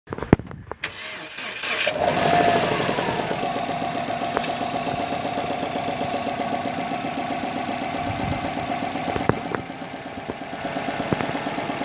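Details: 2008 Subaru WRX, about 115k miles: cranks, catches and idles with a steady light knock keeping time with the revs. Owner suspects rod bearing failure, not confirmed. Engine knock.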